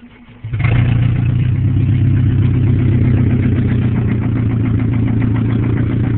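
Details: 1997 Pontiac Grand Am SE 2.4L, running with headers only, after 30 min of freeway driving at 95°F and a full-throttle pass. Light, uneven ticking about four per second at idle; oil light comes on below 1000 rpm with oil full; owner suspects a spun bearing.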